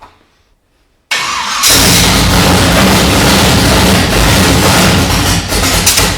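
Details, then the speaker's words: Junkyard Monaro 454 Chevy, AFR heads, hydraulic roller, Holley 1250 Dominator, first start on fuel poured in carb bowls, no fuel lines; fires and runs rough and loud with occasional pops. Lean pop on start. "i think we've just got fuel in the bowl i think we might run out of fuel so she's got a bit of a lean pop we'll see but she runs"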